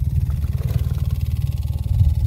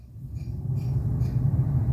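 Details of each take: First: Maruti Alto 800 AC blower running: rapid, steady low fluttering thump like paper caught in the fan, caused by debris such as dust or leaves stuck in the blower or vent. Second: Maruti Alto 800 cabin A/C blower after removing debris lodged in it because no AC filter was fitted: low, steady airflow rumble builds smoothly with no ticking or fluttering; normal blower sound.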